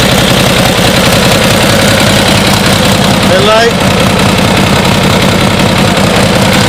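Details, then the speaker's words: 1949 original-paint Panhead Harley-Davidson, first start after fresh gas, not tuned: loud, loping, uneven potato-potato V-twin idle, steady without stalling, running fine. "I got it started this is a really awesome bike uh runs like a top just needs to be ridden"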